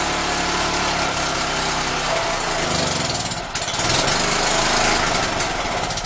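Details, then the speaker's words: Champion generator small engine after reassembly with muffler fitted: howls at a high, steady, raspy speed well above normal; governor not yet adjusted, revving too high. "sounds like I do need to adjust that governor I just wanted to rev real high muffler sure made it sound a lot better"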